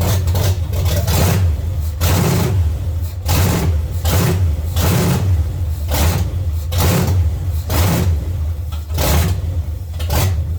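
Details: 1970 Chevy C10, small block 305 V8, after intake and carburetor change: idle surges and stumbles roughly once a second, refusing to settle; misfire from the distributor cap center button having broken and fallen out.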